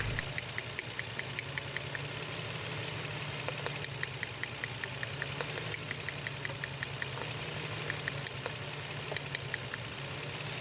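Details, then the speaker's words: Nissan Xtrail V6 petrol engine misfiring with poor pickup: uneven idle with rapid ticking knock and stumbling rhythm; coils checked OK, two injectors found clogged and not working, injectors replaced. "ইনজেক্টরের সমস্যা injector জাম হয়েছিল কাজ করতেছিল না দুইটা"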